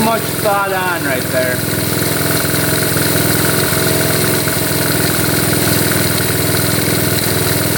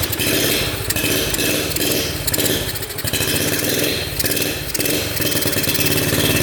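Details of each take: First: 1972 Honda CT70 single, bought at auction with a bogging problem, holds a steady even idle with quick regular firing and no misses after the points were readjusted; timing F mark lines up with the notch, warming up: normal idle. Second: 1972 Honda CT70 with bogging problem, timing checked against F mark: small single sounds flat and lazy, throttle bursts surge without crispness; ignition firing about half an inch late, retarded timing, points gap to be adjusted.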